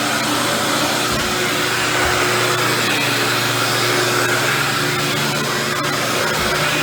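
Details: Dirt Devil Deluxe 8201 upright vacuum with new belt and bag, cleaning carpet: constant rough gritty grinding under steady vacuum roar; motor ruled out by running without belt, worn brushroll bearings.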